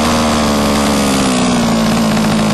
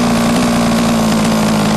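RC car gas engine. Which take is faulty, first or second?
second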